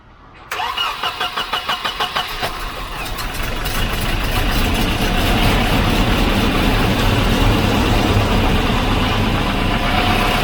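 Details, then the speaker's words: Volvo 940 started on the battery taken from a Volvo 240 that would not crank: strong even cranking at about three and a half beats a second, then it catches and settles into a steady, smooth idle, so the battery is fine. "so just to make sure that i wasn't going crazy i just put the one from the 240 that wasn't working that seemed to be flat onto the 940 and it started up fine"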